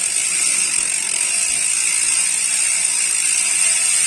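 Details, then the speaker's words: United Clovis 6.0 hardtail MTB with Nautilus Rakac pawl-less freehub: loud, steady high-pitched hum while coasting, smooth and even with no clicks or skips; normal freehub buzz. "pasti pada nanya keras banget bunyinya Om pakai HP HP apa nih saya kasih tahu jawabannya apa"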